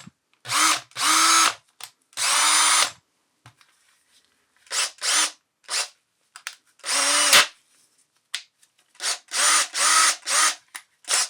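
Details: Makita DDF482 cordless drill after replacing intermittent trigger switch module (6507545, replaced by 6507537); brushes and motor had been fine: repeated bursts of clean high motor whine, steady pitch each run; working normally again.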